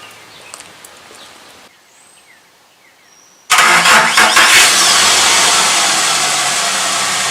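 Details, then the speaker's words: Truck with a low battery that struggled to crank, after the battery was revived using a welder: brisk crank of about a second, then it catches and settles into steady idle; rolls over easier, starts normally. "But, uh, for now, uh, it definitely rolls over easier."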